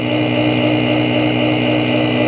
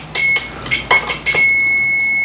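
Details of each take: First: BoxMotor pulse motor after replacing bad chip, running three coils, charge batteries around 12 V: steady even hum with a fixed tone as coils resonate while wheel spins; coils working normally. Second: BoxMotor pulse motor with excess amp draw; a meter shows full continuity positive to negative and beeps into a steady tone. Continuity remains after pulling the first of three chips, so the short lies in another chip.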